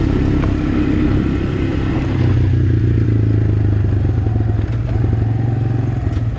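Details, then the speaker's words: Abandoned Honda Recon ATV after freeing frozen rear brakes and an oil change, on a test run: steady single-cylinder note rising and falling slightly with throttle, no knocks or rattles; running smoothly, normal running. "ran it around a little bit it's running great actually kind of surprised how good it runs"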